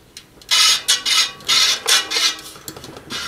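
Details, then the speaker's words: Giant Boulder SE bike wheel spinning: a scratchy hiss sweeps in and out about twice a second as the wobbly rim rubs the right brake pad; fixed by tightening and loosening spokes to true the wheel. "Okay so you can see I'm rubbing on the right you can hear it but you can see it's not touching so I want to tighten the spokes on this side these guys and loosen this one"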